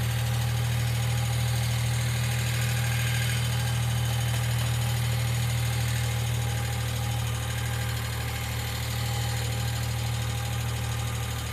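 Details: 1995 Geo Metro at idle: light, even ticking about three to four per second over a steady small-engine idle, believed to be lifter tick. B-12 cleaner is being added to the oil before an oil change; the cause is not confirmed.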